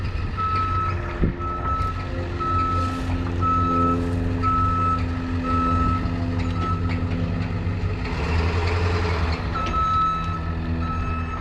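Steady high beep about once a second over a low diesel rumble as the truck backs up; reverse alarm working normally.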